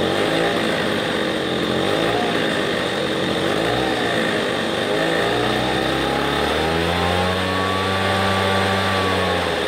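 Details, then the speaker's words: Redmax EB7001 leaf blower two-stroke engine after rebuild of seized motor with new piston and rings (old piston worn through to rod); cold start needing two extra pulls, then smooth, even buzz settling into steady idle, running perfectly. "well there you have it we have a good fully functioning blower motor and it was a cold start that's why I ended up taking about two more cranks but other than that sounds nice perfect it idles great now"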